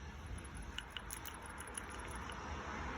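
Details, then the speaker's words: PCV valve removed from a 2006 Mitsubishi Eclipse GS valve cover and shaken by hand: light, quick dry ticks as the small valve moves freely inside; PCV valve working normally. "You hear the little valve moving? So, that means it's working as it should."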